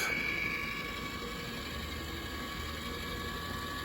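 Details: Fan-Tastic Vent RV roof fan (pre-2014 model) after lift motor replacement, retract mode: steady small motor whir with light fairly even clicking as the lid draws down; closes smoothly and sounds healthy.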